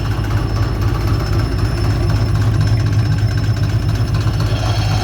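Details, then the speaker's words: Subaru EJ208 engine at about 800 rpm idle during a knock check; low, even idle with a soft steady beat and no knocking, fourth cylinder not knocking, engine sounds healthy. "тихо. Мотор 58 45 28. Четвертый не стучит. Все отлично."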